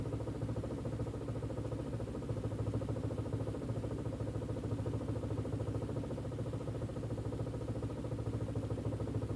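Uneven idle with an irregular pulsing clatter around three beats a second that never settles, a rough-running engine.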